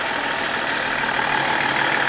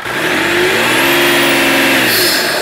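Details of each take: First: BMW 330D with VP44 pump, just restarted after cooling system rebuild (suspected head gasket or cracked oil cooler), heater on max to bleed coolant: even, steady diesel clatter at idle, no misses, knocks or hunting; healthy. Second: BMW 330d restarted after a cooling-system rebuild (head gasket vs cracked oil cooler suspected) while bleeding coolant: steady hissing whoosh over an even idle at constant speed, turbo discharging intermittently; turbo hose fit doubted.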